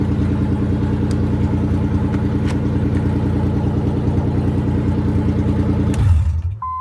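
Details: 1993 Nissan 300ZX would not crank after transmission removal because of a bad neutral position safety switch. Now it fires and settles into a steady, even idle with no misses or knocks.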